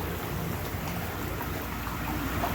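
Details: American Standard whirlpool tub model 2425 L/V RHO, newly installed, running with the heater on and no leaks found: steady, even rush of water and low pump rumble with no surging, knocking or grinding; jets healthy at strong output.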